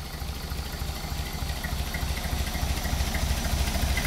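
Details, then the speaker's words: 1931 Horch 480, rebuilt 5 L straight-eight warmed up about 5 minutes, still running in: soft, evenly spaced pulses at slow idle with no miss, knock or tick, no vibration; normal idle. "now we've warmed it up for about 5 minutes and now it's idling just absolutely gorgeously"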